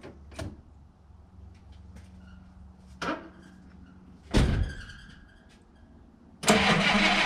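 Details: 1958 Dodge Coronet Lancer V8, a barn find that sat 30 years, after the condenser, coil, rotor and cap were checked: uneven low idle with irregular loud sputtering bursts and visible shaking, misfiring; owner suspects it isn't running on all eight cylinders.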